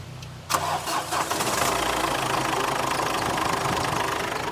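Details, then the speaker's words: Ford Endeavour diesel at 116,238 km, in for pickup, turbo and EGR complaints: brief crank, then a clean catch and a steady diesel idle clatter with no vibration, knocks or misfires. Normal start and idle. "Sound sound. गाड़ी का बढ़िया है।"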